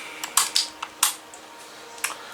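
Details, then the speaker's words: Holmes HACP9 6-inch oscillating clip fan on low with oscillation on: sharp irregular pops and clicks over a faint fan hum, and it won't work on high. Likely a dry oscillation mechanism; the owner plans to oil it. "so what i'm gonna do here is i'm gonna of course turn it on and see what it does steadily making popping noises that needs to stop"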